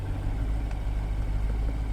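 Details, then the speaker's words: Bentley GT twin-turbo V12 flood car at salvage auction, check engine light on, power steering gone; deep, steady low rumble with even beat and no knocks or misses, idling smoothly and healthy. "let's fire it up oh man this still uses old-school power steering so power steering is gone it's got a check engine light it idles great"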